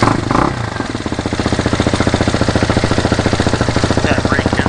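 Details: New 2019 fuel-injected RPS Hawk DLX 250 counterbalanced single-cylinder, first heat-cycle warm-up after assembly, not yet broken in: fast, steady idle pulses with a light metallic clatter on top. Clutch rattle at idle.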